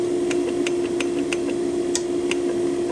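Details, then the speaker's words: Donkey Stomper 400HD 4-pill mobile amplifier after warranty repair: steady hum with sharp, evenly spaced keying-relay clicks about three per second; slow delay works normally. "Oh yeah, I did check the delay. Listen. Hear the slow relay. Now listen."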